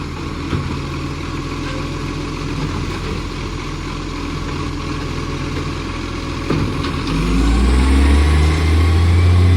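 Diesel idles with a sharp, regular puffing tick about four times a second that gets louder as it revs up: exhaust leak.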